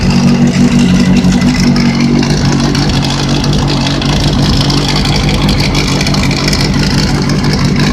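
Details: Engine revving with an uneven rattle, loudest next to the sprocket; owner suspects bearing failure, unconfirmed.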